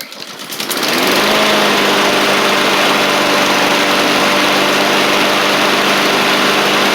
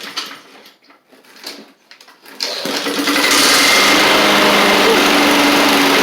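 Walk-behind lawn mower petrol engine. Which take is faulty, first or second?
second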